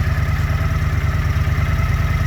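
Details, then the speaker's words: Honda CX motorcycle after carburetor rebuild, slightly warm, idling at 1100 rpm: even steady putter, no misses or surging; snaps back to idle after throttle blip, responsive. "It's idling at 1100. I'm going to hit the throttle. Idles back down. As you can hear, it's responsive and"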